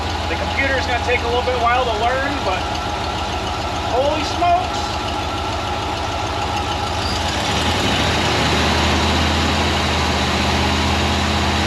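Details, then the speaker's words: Ford 302 V8 in an Econoline van that sat for years, at first start after replacing the bent #5 intake pushrod. Settles into a steady, even idle on all eight cylinders with no miss or knock; computer in open loop. "but it appears to be running on all the cylinders so that's that's a good sign"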